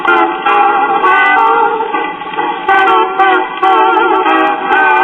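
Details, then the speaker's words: Worn, slick idler wheel rubber on a Waters-Conley Melodier 78 rpm acoustic phonograph, probably 1940s, before repair: record plays steadily then drags, pitch sagging and recovering as the drive slips and bogs; needs a new idler wheel with fresh rubber. "you can hear it trying to bog down there I will say for an acoustic phonograph the sound quality is not all that bad but in order for this thing to be ready to use it really needs a nice new vital wheel on it with some nice fresh rubber"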